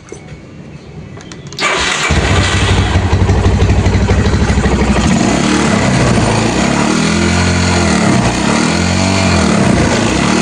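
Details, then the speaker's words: Yamaha Scorpio single-cylinder motorcycle engine started and blipped: rough running with a harsh buzzing clatter under revs and excessive vibration; owner reports noise when revved slightly, with a possible oil seep near the oil circulation bolt. "Suaranya ada der gitu. Dari sisi getaran juga ini getarannya over."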